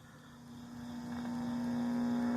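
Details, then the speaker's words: 1960s Heathkit GR-10 5-tube AM radio powered up without a dim bulb: transformer hum swells and then holds steady as the 50C5 lights; the set receives, but the hum points to bad filter capacitors. "We're going to turn it on and see if things light up. I do hear a hum of a transformer."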